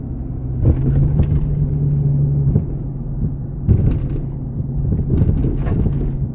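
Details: 2004 Jeep Grand Cherokee WJ 4.0 SelecTrac with long-arm lift driving: low road rumble with sharp clunks over bumps; cause found as loose long-arm flex ends and worn driveshaft U-joints and CV joint.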